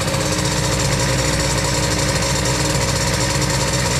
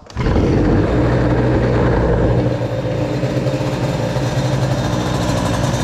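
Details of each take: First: Brand-new 2Fast 70 cylinder with Boost crankcases on moped, breaking in, warmed, kart airbox, revving: crisp two-stroke buzz steady and even, engine barely vibrating; well balanced, normal revving. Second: 2Fast 70 moped two-stroke with a BOOST crankcase and a brand-new cylinder, run in cold with the idle raised: at steady high revs it sounds thin and buzzy without rich four-stroking, so it's slightly lean.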